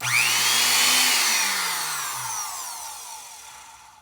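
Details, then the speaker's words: Rebuilt vintage Black & Decker 507 sheet metal shear, AC motor with newly installed brushes, bench-tested clamped down on test leads: brushed motor whines up quickly, holds a clean steady pitch, coasts down evenly; working like a charm, normal run. "Working like a charm."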